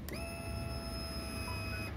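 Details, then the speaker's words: Honda Beat FI new with a stumble from low to high rpm and no fault code shown: a steady whine under two seconds that cuts off cleanly, which is normal fuel pump priming. "itu suara full formnya normal"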